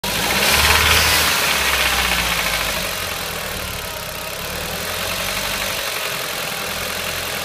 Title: strange ticking noise - Audi TT Quattro 225 2003 1.8T